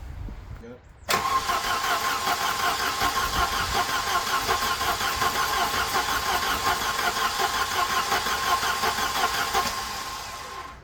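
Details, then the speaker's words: Volvo 240 on its first start after an engine replacement, carbureted, no coolant in yet: fast light tapping about three a second over the idle, which sounded unhealthy though the oil was full and clean; detonation ping from incorrect ignition timing. "okay that was a lot more tapety then I would have liked it to have been why I don't know what's happened there that sound tappy to you that didn't sound healthy"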